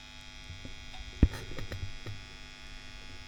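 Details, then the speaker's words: WEM Musette Mk 2 valve amp with inputs grounded: steady low hum and faint buzz under handling clicks; valves swapped without change, source not yet traced, with an old bulging capacitor and the diodes due for replacement. "so what are we're going to change then aside aside from from the the noise which is an issue we we need to track down"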